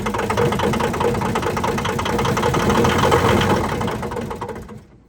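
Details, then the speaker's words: Thomas 233 HD skid steer diesel, sat for years in a scrapyard, first start after reassembling the injection lines and bleeding: rough running with heavy uneven clunks, about three or four a second, then it dies. It locked up completely; owner suspects a dropped rod. "Got it running, and you heard all that clunk and it started smoothing out. Well, it dropped the rod or something. It locked completely up."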